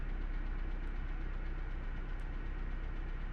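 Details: 1998 Honda CR-V 2.0 litre idling roughly with an uneven low thump about four times a second. This is a misfire from an instructor-modified bug.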